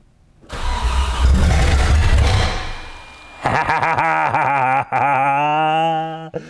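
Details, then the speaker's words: Audi 90 Quattro Sport from salvage yard, first start: cranks, catches, then blips with loud raw rasping bark from open downpipe; running with missing exhaust system. "Yes! It runs! It runs! If it had an exhaust, it would sound good too."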